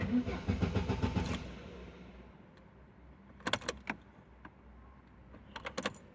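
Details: Opel Vectra B 1999, check light missing when key turned on; starter spins the engine about a second with even cranking pulses, never catches: crank no start.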